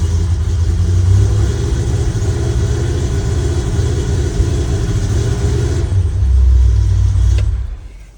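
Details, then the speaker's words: Chevrolet C10 V8 with Holley Sniper EFI starts fine but misfires and backfires when revved: uneven, stumbling exhaust beat missing intermittently as rpm rises; misfire cause still being chased via plug wires. "So when you crank it up, EFI lights up, starts up just fine. But the problem happens when you give it some RPM, it starts to miss."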